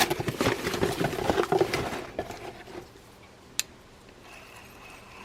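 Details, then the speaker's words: Northshore spinning fishing reel in for service, cranked by hand: gritty, uneven ticking for two seconds, then quiet coasting; rough crank, suspected worn bearings or lack of grease and oil, cause unconfirmed. "one's sounds like it's either tough on the bearings or just crying for uh grease and oil we'll find out"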